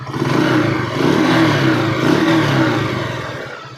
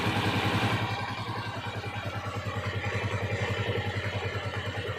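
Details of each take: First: Honda TMX single-cylinder motorcycle, hard starting, needing choke: revving with loud, uneven metallic clatter, knocking and ticking over the exhaust note; engine to be overhauled. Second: Honda TMX 155 single-cylinder motorcycle after overhaul (stator, timing gear, connecting rod), previously noisy and hard starting, engine still cold: steady even low thump idle with no knocks or rattles.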